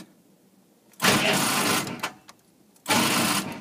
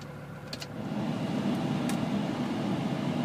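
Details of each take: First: CUCV military truck (M1008/M1009 diesel) on manually wired glow plugs: two short sluggish clicky cranking bursts with no start; starter starved by low battery voltage. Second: CUCV military diesel truck (M1008/M1009 type) on a 20-degree cold start using a manual glow plug button, idle raised, good oil pressure: steady low diesel clatter that firms up as it warms, with no misses or knocks. Normal cold idle.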